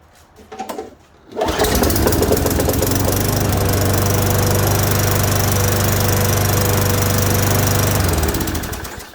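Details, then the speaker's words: Craftsman 5.5 hp mower that came in as a no-start: after freeing up the carburetor, draining it and priming, it fires on the pull with the air filter off and holds a steady even drone with a firm low thrum before shutting off. It runs normally. "Okay, so that actually went and started a lot faster than what I thought."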